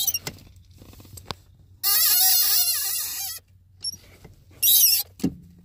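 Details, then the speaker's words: Loud high wavering squeal from the clutch pedal in the footwell each time it is pushed with the engine off, appearing after about ten minutes of driving and growing louder: a dry pedal pivot, not the clutch. "the cars off right now so that tells me that it's a problem with the clutch pedal not with the clutch itself or the linkage"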